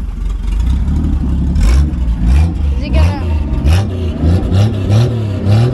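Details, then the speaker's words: 1967 Plymouth Valiant two-door sedan, six-cylinder, non-running parts car running with a new battery: loud open-header rumble surging and sagging, revs hunting and dropping as if dying; runs horribly, rough idle close to stalling. "hey it runs though well it idle not really right now kind of doesn't really want to oh yeah she's dying and this thing runs so horribly but it runs"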